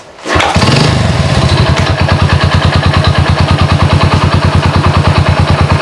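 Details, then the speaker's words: Honda Supra motorcycle converted to LPG with GX160/200 LPG carburetor and low-pressure regulator, idle gas set: catches within two kicks and settles into even, regular putt-putt idle with no misses; normal start and idle. "enggak pakai lama cuma dua kali engkol langsung bisa itu semua karena pengaturan di stasionernya saudara-saudara"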